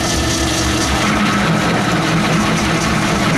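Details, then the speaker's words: Logan 10-inch lathe fitted with a 14-inch quick-change gearbox, 1.25-inch stock at medium speed, low range highest gear, 0.015-inch cut: steady grind and laboring motor pulling down, belts slipping, with a faint buzzing light tool chatter. "Starting to pull the motor down, slip the belts, but it's taking a 15 thousandths cut pretty easily. A little chatter, that's what that noise is."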